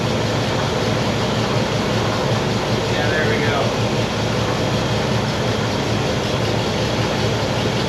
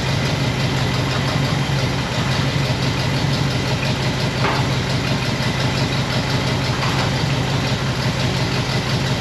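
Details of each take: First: 1960 Pontiac Bonneville V8 with AFB carb, after dwell corrected: steady even low rumble at slightly fast idle, no misses or stumbles; now smooth and not overly rich, normal. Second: 1960 Pontiac Bonneville V8 with AFB carb: steady but uneven lumpy idle with fluttery exhaust; running pretty rich with points dwell extremely high, set off the six-cylinder scale instead of the eight-cylinder one.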